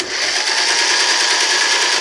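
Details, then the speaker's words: John Deere L100 lawn tractor, 17 HP Briggs Intek OHV, newly fitted starter, spark plug out, magnets seem a little stiff: smooth, high, even whirr for about two seconds with no drag or grinding; starter spins freely, normal starter cranking. "I think the magnets are a little stiff on this starter that I just started fixed I mean let's try it again"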